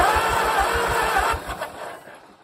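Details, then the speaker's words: 1934 Allis Chalmers Model M crawler, 300 cu in four-cylinder, first start attempt in over a decade. Quick, even cranking with good compression pulses, spinning freely, but no firing, then it winds down. It cranks but won't start; it lacks spark from the coil. "so as you can see it turned over and it spins pretty free it sounds good it's got compression but we just need to get some spark on it"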